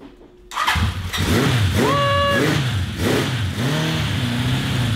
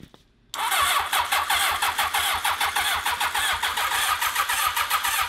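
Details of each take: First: 1982 Honda CB750 four-cylinder after refitting plugs in firing order and turning the kill switch on: it catches after a short crank, blips, then settles to a smooth, even idle; the valve cover gasket is leaking. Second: 1982 Honda CB750 750cc on 95-octane fuel with choke on: the starter cranks steadily, about 3.5 pulses per second, with no firing. It is fuel-starved because varnish is clogging the carburetors.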